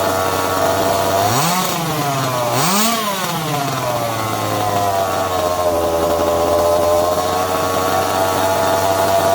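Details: Secondhand 1/5-scale RC Baja two-stroke; buzzy engine blips up twice with a quick rising whine, then settles into a steady, even idle; normal two-stroke running.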